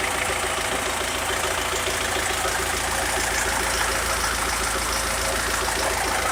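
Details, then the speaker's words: SMD tractor diesel, first start after full rebuild with replaced piston group and head from another tractor, running without turbo: steady, even diesel idle clatter without misses or heavy knocks; normal healthy idle. "Нарешті ми його завели Слава Богу Він працює не знаю чути не чути Ну от я біля нього стою нормально працюю не знаю як на камеру"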